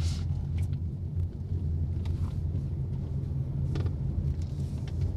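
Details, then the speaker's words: Honda Jazz GK5 after cabin sound-deadening, test drive at 60 km/h on rough asphalt: steady low tyre hum and road rumble, even and subdued; normal tyre noise, much reduced versus stock. "Honda Jazz itu kalau masih standar suara dengungan bannya itu bener-bener kerasa banget tapi di sini itu masih ada tapi jauh lebih berkurang benar-benar terasa beda banget"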